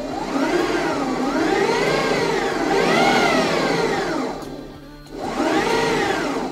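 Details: 1968 Toyota Stout converted to electric, Motenergy ME1004 motor with Kelly KDZ-E 72801 controller, 48 V LFP batteries (about 53 V), first drive: smooth whine rising and falling as the motor spins up and down, no grinding or knocking; healthy.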